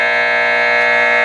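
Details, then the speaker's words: Admiral 5R12-N vacuum tube radio on AM: a steady buzz holds at one pitch for over a second, then cuts off; poor AM reception with interference, possibly caused by the room's LED lights. "we don't get good uh reception in here for some reason on AM. It's probably"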